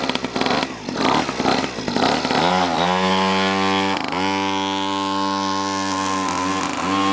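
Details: Cheap Chinese 50cc two-stroke pocket bike, just got running, choke direction changed: buzzy high-pitched note settling into a steady run after a few rough blips, with small dips in revs; running fine.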